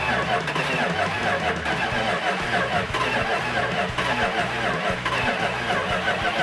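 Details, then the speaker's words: 1970 Plymouth 'Cuda 340 V8, first start, never run on the engine stand, timing being advanced: uneven chugging catch that stumbles and dies, starts then dies; firing order checked, timing thought close, plumbing unconfirmed. "so we tried firing up 340 and uh it kind of started died started dyed"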